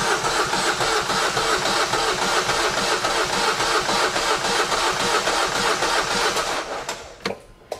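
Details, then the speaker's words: Engine cranked to build oil pressure: starter spins at a steady three and a half beats a second but never fires, because the fuel primer bulb was not pumped. "ah non je dirais tu as fait quoi pour pas qu'ils démarrent mais j'ai juste pas pompé sur la poire"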